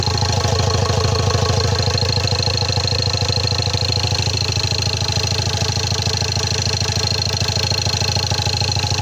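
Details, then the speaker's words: Ford Ranger TDCi diesel after engine rebuild, run without coolant for a minute or two, radiator not yet fitted: even idle about two beats a second, ordinary injector clatter, no misses or shaking; very good. Normal idle. "አይደለም በጣም አሪፍ ነው። አይንቀጠቀጥም፣ ምንም አይልም። በጣም ቆንጆ ነው ሞተሩ።"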